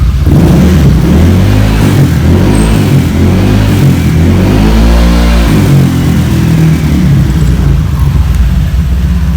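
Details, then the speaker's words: Honda Vario 150 New K59J with Juken 5+ ECU freshly set, standard racing exhaust, throttle blips after start: engine climbs and drops cleanly with no misfire or stumble; throttle feels light and responsive. "sekarang tinggal kita langsung untuk tes di gas-gas cuy ini kita coba enteng apa enggak nih nih Cuy nih lihat nih enteng nih jadi udah enteng gasnya tuh"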